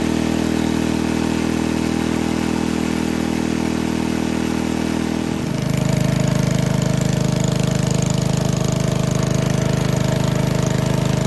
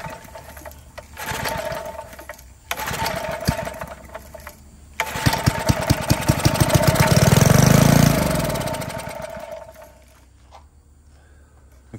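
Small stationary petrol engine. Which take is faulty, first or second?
second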